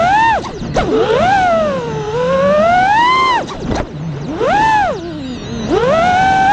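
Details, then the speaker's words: FPV drone after replacing two failing ESCs with DYS 35A units: clean whirring that rises and falls with throttle, motors spinning faster, no buzz, frame vibration or resonance; normal motor running. "so there you go it sounded 10 times better you can hear the motors are spinning faster the frames not vibrating anymore there's no resonating or anything it just it sounds good"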